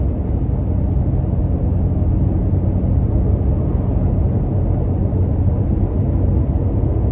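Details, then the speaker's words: Toyota Tacoma with aggressive off-road tires at about 50 mph on coarse pavement, with some wind noise: steady low tire roar, no thumping or pulse. Audible but not horrible, normal. "I know there's a little bit of wet noise too because obviously the truck is going through the wind I mean it's not too bad you can definitely hear it but it's not horrible"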